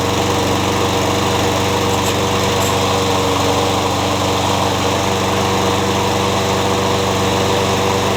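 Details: Curb-found mower, cold start after new battery and replaced blown fuse restored the electric start; settles into a smooth, steady drone with even firing, no misses or knocks; runs beautifully.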